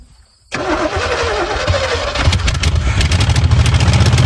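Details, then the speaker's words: 1970 Chevy Chevelle sitting since 1995, cranking with new fuel filter and fuel fed from a gas can: steady cranking about three turns a second, never catches; no fuel reaching carburetor. "Still not coming through. Go for it. Okay. It's not getting gas at all."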